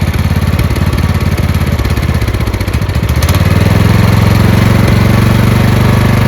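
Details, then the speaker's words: Craftsman LT2000 lawn tractor single-cylinder engine that surged a little even after a fuel line replacement; with the fuel solenoid cut off it holds an even, quick putter at idle with no rise and fall in speed, and no surge. "That's an idle. No surge."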